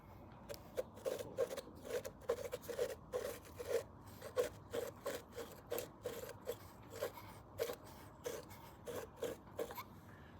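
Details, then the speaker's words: Vintage British motorcycle wheel spun by hand, old-fashioned open bearings. A rough, gritty scrape repeats with every turn, the bearings grinding. They are to be replaced with new sealed bearings, and the left-hand-thread retainer is missing. "Okay, the old-fashioned open bearings. Let's see if you can hear the grinding."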